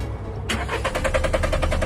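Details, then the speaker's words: Used car, crank no start: starter turns the engine at a quick even beat of about eight pulses a second but it never catches, despite earlier new spark plugs, cleaned throttle body and fuel lines, and a new fuel pump. "你们听见了吧？打不着火，我再试一次。还是打不着，你知道什么原因吗？"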